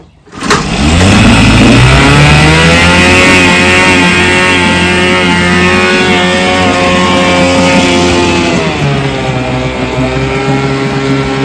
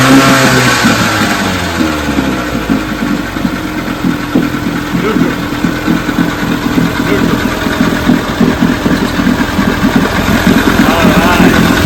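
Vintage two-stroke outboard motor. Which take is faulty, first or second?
first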